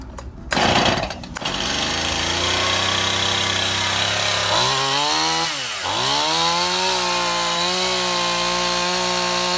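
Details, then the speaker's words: Stihl MS171 chainsaw test run outdoors after a no-start repair: new ignition module, spark plug heat range and gap corrected, fuel line and carburetor serviced, debris found in the carburetor's secondary filter. It revs high with a clean, steady buzz that follows the throttle evenly, running well. "Okay, my camera ran out of battery in the middle of the test run, but as you can see, it ran quite Well"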